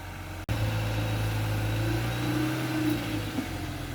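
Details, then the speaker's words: Ford Focus Ghia with Sigma engine, bonnet open: smooth steady idle rising cleanly with throttle, no exhaust blows, puffing or ticking; normal running. "That's how a Sigma should sound. No blows, no nothing. That sounds really sweet now."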